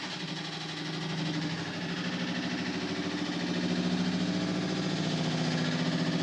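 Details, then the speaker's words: Washing machine running: a loud steady roar like a plane taking off, with a low throb about three times a second, far louder than it normally is; cause unclear. "Sounds like a plane's trying to take off. That's not normal. That is really, really loud."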